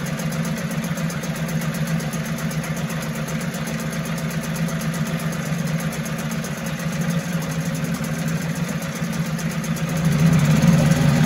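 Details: 1974 Mercury 4 hp single-cylinder two-stroke outboard, made in USA, revived after long storage: steady, even putter with smooth beat firming up near the end, no misses or rattles; sweet easy-starting machine, normal running.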